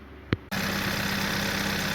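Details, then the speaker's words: 2016 Hyundai Tucson 1.6L turbo after cylinder 3 misfire repair: engine settles into a smooth, even idle with steady low hum, no misses or knocks; running and good to go. Owner suspects some debris passed into exhaust/catalytic converter. "so was a followup to the repair everything thing is running and it's good to go"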